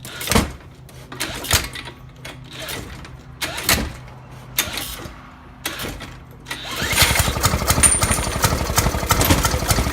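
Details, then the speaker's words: 1916–1918 Maytag 1/2 hp engine, first start in about three years since restoration: a few scattered pops, then fast uneven chuffing once it catches; irregular firing, owner suspects ignition timing is off. "Well, that was interesting. I didn't think it'd actually fire up that quick."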